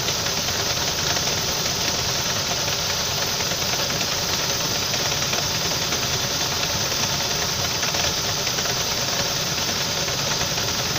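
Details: Saab 9-5 after revving through a puddle threw the belt: steady idle with a faint, even tapping under a heavy hiss. Engine knocking at idle; cause not confirmed.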